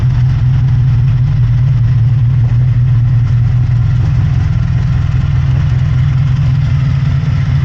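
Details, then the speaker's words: 1983 Honda VF750F Interceptor V4 after a petcock rebuild, on its own tank for the first time in a while with no leaks: a steady, even low idle without knocks, misses or surging. A slight rattle was noted at the rear. Normal idle. "I think this is the first time it's run on its own tank of fuel in a while. It sounds really good. Really good."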